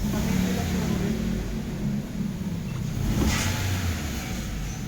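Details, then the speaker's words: 2016 Toyota Altis petrol engine misfiring and shaking when revved, with an uneven stumbling beat. Traced to a faulty ignition coil. "Ayan mga boss meron tayong Altis dito 2016 palyado start natin yun pag re-reevolution mo nangangantal"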